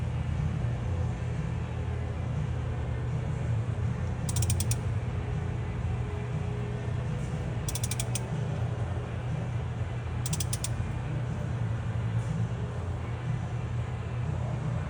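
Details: Dodge Caravan with A/C on: steady engine drone with a creaking rattle and metallic clicks. Owner suspects vibration from the flywheel.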